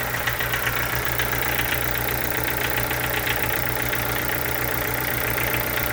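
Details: Chevrolet Corsa sedan with Montana front end at idle: steady hum with an uneven tapping knock about ninety a minute; the source is unclear and the owner asks what it could be.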